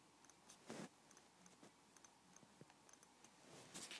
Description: this is my April 2010 15" i7 MacBook Pro. it has a strange creak / metalic noise when the aluminum body is pressed.